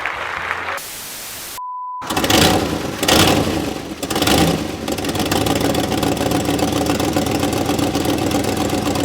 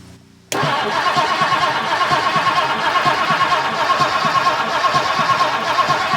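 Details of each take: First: 1958 Mercury Montclair Turnpike Cruiser, not run since at least 1994, with rebuilt carburetor after fixing a backwards-installed accelerator pump: fires after a couple of uneven catches, then settles into a steady, even idle with no misses or knocks. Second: 1958 Mercury Montclair Turnpike Cruiser, not run since about 1994, after its battery connections were cleaned: steady cranking at about one beat per second with no firing, a crank-no-start from no spark; the points are suspected.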